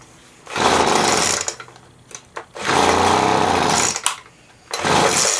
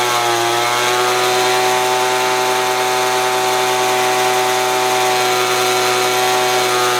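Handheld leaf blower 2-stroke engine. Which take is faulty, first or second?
first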